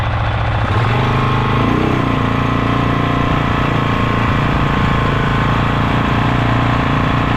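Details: Polaris Sportsman 500 single after top-end rebuild, test ride without plastics: revs and settles with a loud rattling clatter over the exhaust beat; has power, source unknown, owner may check CVT clutch chatter.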